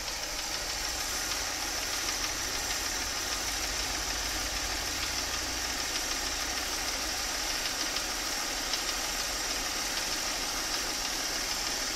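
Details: Mercedes M272.967 engine, warm idle: fast, light ticking knock about three per second over a steady idle, loudest on the left side of the engine; source unconfirmed.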